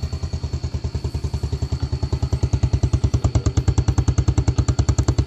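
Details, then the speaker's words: Yamaha Vega ZR motorcycle, formerly rough engine with white exhaust smoke, after engine repair and starter fix: steady even single-cylinder thump about three beats a second, no knocks or rattles; smooth idle. "ya suaranya sudah halus dengarkan saja"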